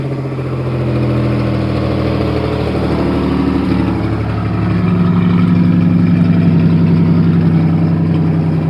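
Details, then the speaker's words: 1988 Chevy Cavalier Z24 convertible, newly bought project car, starting and idling loud and uneven with a chuffing pulse over a deep rumble; suspected exhaust leak, not yet confirmed. "sounds like it has an exhaust leak sounds like another video for us to do fixing it"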